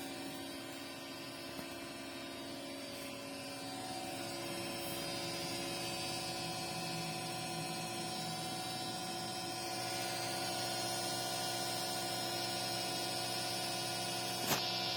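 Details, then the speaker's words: Creality Ender 6 3D printer: a loud steady whirring hum with several fixed tones comes from the base, while the top fans are not spinning. Cause suspected, not confirmed. "The sound is coming from the bottom."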